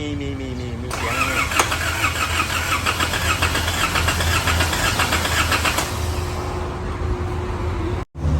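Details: Isuzu D-Max, many parts already replaced: starter whirs and turns the engine over for several seconds without catching; no-start, cranking slow, battery suspected as a problem, not confirmed.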